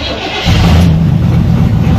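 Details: 1979 Chevy C10 with a 305 V8, started for the first time in years after sitting in storage, on a makeshift fuel line feeding the carburetor; catches after half a second and settles into a deep, steady, even rumble, healthy start.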